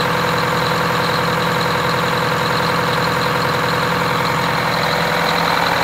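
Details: Wanderlodge RV bus, Detroit Diesel 8V92TA after rebuilding half the engine with four new pistons and liners, starting for first test drive: dense, even diesel clatter at steady idle, no loose knocks or misses. Normal idle.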